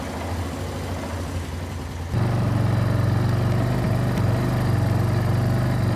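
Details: Barn-find Kawasaki Bayou 220 ATV on test drive after repairs (filthy carburetor cleaned, new battery, oil and air filters, rear right wheel bearing and seal): smooth even drone stepping up cleanly with throttle, no knocks or misses; running really good, no issues.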